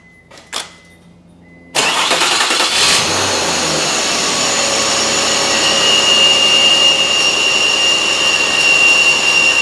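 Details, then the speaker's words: Mazda 626, 19 years and about 125,000 miles, cold start: loud metallic grinding whir and high whistle at idle from a failing engine pulley bearing, worst when cold and quieting within seconds; risk of seizing and breaking the belt. "yes I'm sure right away you can hear that noise and you mean you know something isn't right that's the sound of the pulley bearing and you'll be here it does it does quiet down within a few seconds"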